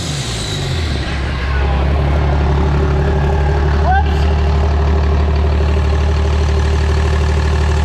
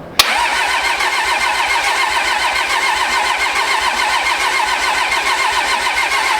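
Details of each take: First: After Motec M141 ECU install on the pro street truck, early tuning: deep, steady diesel idle with an even low rumble and no knocks or misses; normal idle. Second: Pro street truck on first start after a Motec M141 install, rail pressure sensor not yet working: steady starter churn about seventy-odd turns a minute, never firing; no fuel supply pressure reaching the engine.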